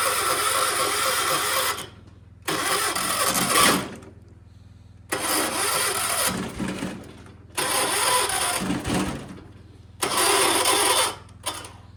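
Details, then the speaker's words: 1976 John Deere 300 with suspected failing starter and flywheel problem: repeated two-second cranking bursts with pauses, engine spins but never catches; owner suspects weak battery. "Yeah, see, it ain't gonna start on what's going on. Okay. Come on. I don't think my battery's strong enough."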